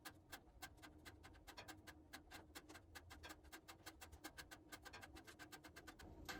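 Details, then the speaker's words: Wood stove lit, door just closed, flames catching the bottom logs: sharp irregular metallic pings and ticks over a quiet background as the steel firebox expands, speeding up as the fire grows; normal. "we're not roaring quite yet here but we're well on our way if you listen real closely you can hear the pinging of the metal expanding in the Firebox"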